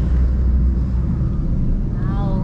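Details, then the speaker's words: Recently bought used car from Minas Gerais, first drive. A steady low droning growl sits under the road rumble. Suspected blown wheel bearing, not confirmed. Humming noise while driving. "O barulho de rolamento. Eu escutei. Nossa, é rolamento. Rolamento estourado."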